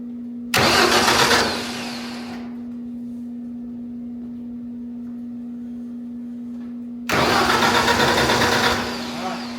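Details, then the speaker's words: Wood chipper engine, new fuel pump fitted, no fuel coming: two bursts of starter cranking without firing over a steady drone, a crank-no-start; owner suspects no gas in the lines, plans starter fluid. "No fuel coming. I think what we're going to do is put a little starter fluid in it. It may have been sitting so long that there's no gas in the lines."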